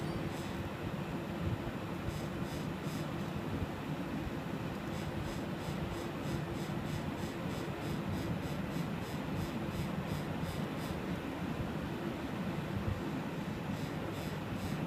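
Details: Sapphire Tri-X R9 290 OC graphics card: steady fan whoosh and hum with faint quick uneven rattling at certain fan RPMs; owner attributes it to poor shroud-to-heatsink clearance letting fans grate on heatsink fins.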